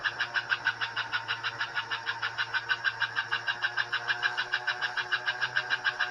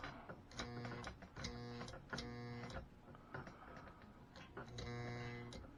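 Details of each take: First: Pre-1957 all-metal American Flyer S scale locomotive, about 70 years old, drive wheels lifted off the rail on cardboard, after cleaning and reassembly: quick steady chuffing about three beats a second over faint motor hum; headlight working, running properly. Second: Pre-1957 all-metal American Flyer S scale locomotive with dirty wheels, after electronics cleaner sprayed into the motor and tender: low buzz switching on and off in bursts, no running between; motor not turning, owner suspects worn brushes.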